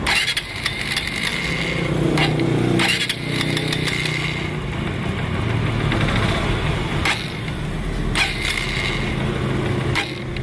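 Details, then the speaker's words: Honda TMX Supremo single-cylinder motorcycle that dies and is hard to start when wet from rain or washing; uneven running with irregular pops and surges, misfire traced to a leaking spark plug cap, not the ignition coil. "So Ayun nga at ah nagparamdam na ang problema ng ating tropa so nagmula ang isot problema dito sa kanyang ignition coil at kukumpirmahin natin na ignition ah spark plug cap pala mga Bossing na spark plug cap yung problema ng kanyang unit"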